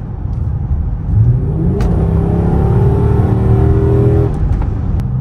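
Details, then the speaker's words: Dodge Charger/300 AWD after right-hand CV axle, axle seal and front differential fluid replacement, accelerating in all-wheel-drive sport mode: engine pulls smoothly, pitch rising steadily with no clunks, clicks or grinding; drivetrain healthy. "I'm listening for sounds and I don't hear them perfect we're going to do a little acceleration three two one all righty"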